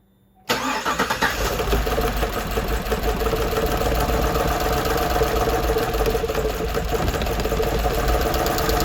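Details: 2015 GMC Sierra 6.2 V8 with big misfire, flashing check engine light, no power, code P0106, lifters working: fires up and settles into a lumpy, uneven idle with irregular stumble; cause is a broken valve spring.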